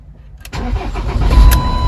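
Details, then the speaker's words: Ford Transit 2.2 FWD diesel after engine overhaul; a cylinder-2 rattle persisted until the ECU was replaced, key programmed and adaptations done; now starts quickly and settles into a steady, even idle with no knock, sounding healthy. "звук, звучит отлично."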